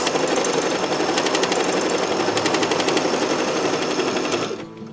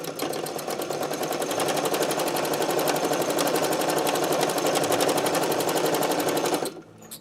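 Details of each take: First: Sewing machine stitching at speed after needle change, oiling and cleaning to cure a squeak: fast, even stitching chatter about four beats a second with no squeak or knock; running smoothly and freely, normal. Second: Sewing machine needing oiling and cleaning, running at about four stitches a second with a dry squeak behind the rhythmic clatter, before being taken apart and oiled.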